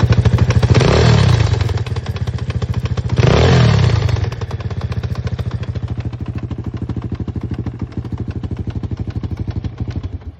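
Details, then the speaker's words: Engine still knocking after the centrifuge, overrunning clutch and intermediate gear were checked tight and the valves adjusted: steady hard knock about three per second at idle, sharper with revs; owner suspects piston pin or rocker arms. "Этот стук остался. Походу стучит где-то внутри. Либо палец, либо в коромыслах."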